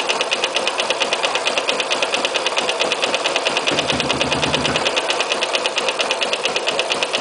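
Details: Sniper small motorcycle engine at idle: a fast, sharp metallic knocking that repeats steadily with each turn.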